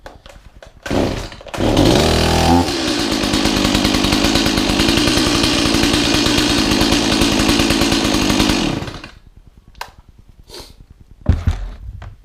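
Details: Stihl MS180 chainsaw, about 1 year old with about 1 hour a week of use, which had stalled at idle and stumbled while cutting. After the cover-related fix, without carburetor tuning, it starts cleanly, picks up quickly and holds steady high revs.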